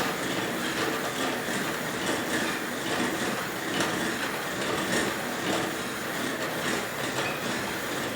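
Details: Merax elliptical bike, very noisy after one week of use: loose, repeating clack on each stride over constant rushing noise.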